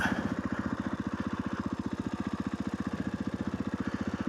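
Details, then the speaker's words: 500 dirt bike that coughed and stalled, after opening the air butterfly valve slightly: even thumping idle, steady with no coughing or dying, idling a little higher than usual; normal idle. "can hear it now, it's running a little bit more than what it usually does. And I think because it was only the butterfly valve for the air wasn't slightly open."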